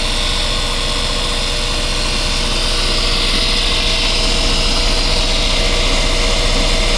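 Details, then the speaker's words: Westerbeke marine diesel generator on a Boston Whaler that slowly overheats after 45+ minutes, impeller good and strainer checked: a steady, even drone at constant speed with no knocks or misses, pumping good cooling water, before warm-up and AC load. "She's definitely pumping good water. Good water flow."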